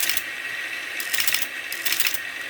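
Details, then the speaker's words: Teletype Model 28 ROTR, newly lubricated: it runs open with bursts of fast dry mechanical clatter between pauses. "If I put it in auto mode, at some point I think it'll start chattering, or I could just disconnect this."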